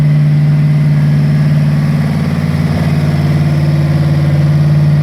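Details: Freshly rebuilt Ford 302 V8 from a 1966 Bronco, first start on a run stand: low heavy idle with uneven loping pulse about four beats a second; dead cylinders from carburetor trouble, tick later traced to a bad lifter.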